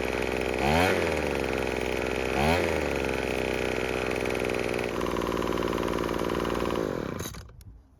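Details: Craftsman two-stroke leaf blower after repair for a no-start. Its buzz revs up and down twice, then holds a steady high run before shutting off. It is running normally.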